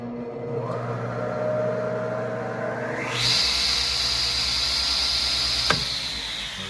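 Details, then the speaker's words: SawStop table saw at Banff High School, successful but slow start: motor pitch creeps up over about three seconds before settling to a steady high whine; slow motor start. "so that one was a successful slow start."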